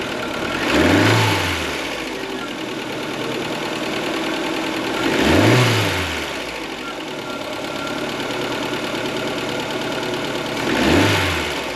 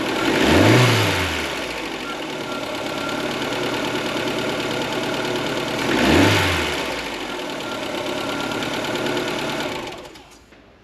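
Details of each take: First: Ford Fiesta Mk4 1.3L Endura petrol engine, off the road since 2019 and long unserviced, running with a busy, fast top-end clatter from noisy tappets (excessive valve clearance), before adjustment. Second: Ford Fiesta Mk4 1.3L Endura, off road since 2019, after full service and tappet adjustment: quiet even idle with two throttle blips, no tappet ticking; slow to start only because fuel filter was empty, valvetrain now healthy, normal idle.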